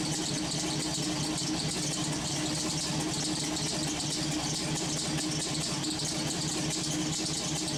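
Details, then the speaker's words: LS-swapped V8 on its first startups, fitted with homemade headers: a steady, even idle with a smooth low rumble under a hiss of steam, no misses. The radiator is not yet very hot, the alternator runs hot, and an unidentified pulley squeaks. "She seems to be running great. I mean, she's steaming pretty good."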